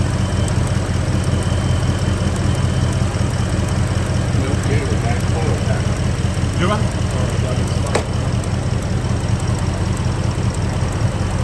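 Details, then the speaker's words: Gen 1 Ford Raptor V8, 11 years old, 125,000 miles, idling in shop: light, regular snapping tick about two or three per second; mechanic suspects a bad coil pack arcing through the boot to the head, not cam phasers. "How the hell can you hear that and say you've got a bad cold back? I had a board in here 4 months ago that made the same noise."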